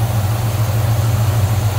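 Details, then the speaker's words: 1969 Chevrolet C10 with 350 small-block V8, automatic transmission and HEI ignition, idling: deep, steady low rumble with even pulse, no knocks or misses; normal idle. "sounds good looks good nice tiny clean engine bay"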